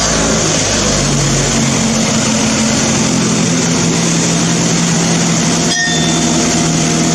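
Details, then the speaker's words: Old Mazda petrol engine for a woodgas generator, running on a new homemade ignition control computer, carburetor with no choke, hand-choked at the intake: steady, even note at constant speed with no misses, knocks or stumbles; normal running. "There, it runs quite nicely."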